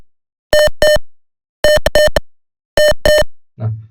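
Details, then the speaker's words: Student-built toxic gas detection system with a gas sensor, LED display and buzzer, as gas is brought close: a mid-pitched buzzer beeps in quick pairs about once a second, faster than the single level-1 beep, signalling the level 2 toxic-gas alert. "Nah, ini memasuki ee level kedua di mana tugas ee sentugas di sini mendeteksi bahwa sudah ee beracun."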